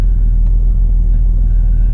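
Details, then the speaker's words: Jeep Cherokee XJ idling after an ECM reset to learn new refurbished 4-hole injectors; low steady rumble without knocks or misses, expected to run a little rough for quite a few cycles before idling normally. "supposedly it's supposed to run a little bit rough at first, and it's supposed to be quite a few cycles before it actually starts to idle correctly or normally."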